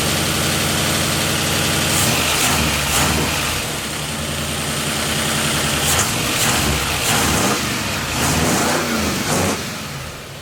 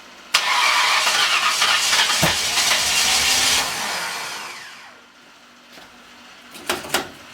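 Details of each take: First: Ford 302 with a new cam and fresh Rotella 15W-40 oil, after fixing distributor timing that had been 180° off: a steady V8 idle with clean throttle blips that rise and fall smoothly, running healthy. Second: Freshly installed 302 engine with new cam, on a charged battery: starter spins hard about three seconds, winds down without catching; owner suspects ignition timing off, possibly 180 degrees out.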